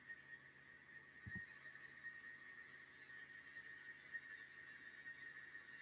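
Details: Milling after moving the workpiece deeper into the vise jaws: steady clean high cutting tone with no hollow rattle, replacing earlier vibration chatter; stable cut without chatter.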